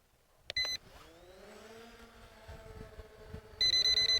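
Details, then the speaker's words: ZLL SG906 MAX drone hovering: two bursts of rapid high beeps over the rotor hum as the obstacle avoidance sensor blocks forward flight with nothing ahead; sensor suspected faulty, cause unclear. "You can hear the beeping here. Yeah, I don't know what that's about. Like I said, I had that happen the other day too, so clearly that obstacle avoidance sensor is a little bit wonky."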